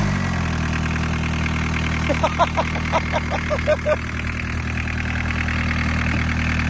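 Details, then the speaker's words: Barn-find VW Caddy pickup, mechanical diesel, 154,000 miles, off the road over 20 years, first start: even diesel clatter at steady idle, no misfire or knock; healthy settled idle. "Mechanical diesel engine. Job done. That sounds perfect, doesn't it?"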